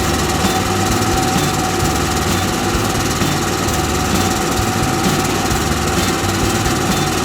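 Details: Onan RV generator that previously cranked but wouldn't start (neither the suspected electrical nor oil cause), after a $65 repair and reinstall: steady even drone at constant speed, no knock, grind or hunting; running healthy.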